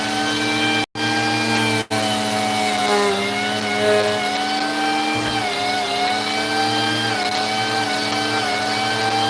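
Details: Vacuum with no-power complaint: motor whine cuts out completely twice in the first two seconds, then runs steady; power to the power head dropping intermittently, cause suspected, not confirmed.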